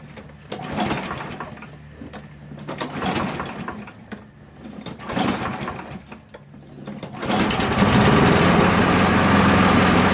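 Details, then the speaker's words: Craftsman 7HP green self-propelled lawn mower, long hard to start despite lapped valves, checked keyway and carb cleanings; after about an ounce of Seafoam in the fuel, it falters briefly then settles into a loud, steady, even run with no hesitation. "as you can see it no longer hesitates nationally runs pretty smooth for about a half an hour and a few but starts when I shut it off"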